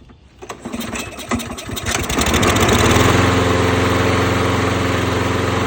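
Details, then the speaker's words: Toro Recycler push mower that had been surging: small engine catches after a few pulls and settles into a smooth, even run with no hunting or surging; running good, normal. "It's running good. Success."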